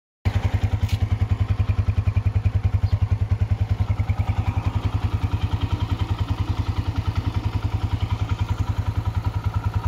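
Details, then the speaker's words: Honda CG125 single-cylinder after restoration and parts upgrades, idling: quick, even thumps with no top-end ticking; earlier tappet noise gone, engine quiet and healthy. "लेकिन engine बिल्कुल silent हो गया वो जो sake सिक सिक सिकिक की आवाज आ रही थी वो चली गई टैपस की आवाज थी वो चली गई"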